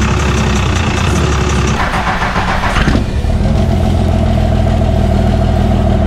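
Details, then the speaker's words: Cummins diesel truck first start after P-pump swap: cranks, then lumpy idle with rhythmic hollow tapping from the open intake; harmless, only because the intake manifold is not fitted yet, and expected to go away once installed. "that loud noise you hear coming from the intake that sounds like maybe a knock or you know hiccup tapping noises from the just the way these luncheon sounds without an intake manifold on it so once we get that put on that'll all go away"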